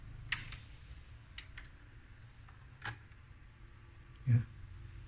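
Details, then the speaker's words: Arcam CD73 CD player with Sony KSS-213C optical pickup: soft uneven ticks about once a second as the lens rises and drops without power, hunting for focus and failing to read the disc; the pickup is faulty and gets replaced with a new non-original unit. "ya, dia naik gitu, nggak ada kayak seperti nggak ada tenaga, dia naik tak turun itu, naik langsung turun tak gitu bunyinya ya."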